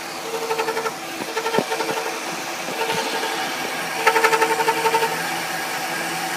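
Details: 2000 Ford Taurus Vulcan: quick bursts of high chirping or scraping, about four or five a second, only when hot and at idle, not when driving. Cam synchronizer already replaced to rule it out; owner suspects the transmission. Cause unconfirmed.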